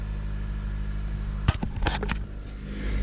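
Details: 2015 Jeep Patriot that had been shutting off by itself while running, after repairing bad main ground connections, first start with live data recording; steady low engine hum without stalling, a few handling clicks; normal running.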